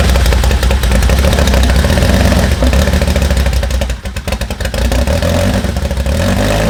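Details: 2010 Audi R8 with Dallas Performance-modified Lamborghini Huracan V10, first run after install with no exhaust: loud raw V10 blips up and down cleanly, no knocks or misfire.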